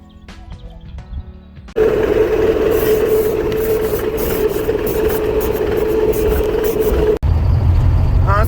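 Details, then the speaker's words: Mercedes before belt replacement at the garage: a steady, thin, mid-pitched whistle holds over the engine noise for several seconds. Worn accessory belt whistle; a new belt was ordered. "il a commandé une courroie j'espère que ce sera la bonne taille et puis j'aurai plus ce sifflement là qui te stresse"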